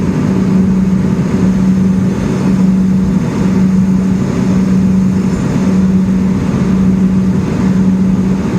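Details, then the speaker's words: Custom Oliver 50 gravity table, fans on VFD slowed down individually: steady low fan hum with a smooth even tone change as speed drops, no irregular noises; healthy fan running normally. "I can hear a tone change so we've slowed down one individually we can slow it down even the deck shaking there everything hums along there are no irregular noises this unit just sings"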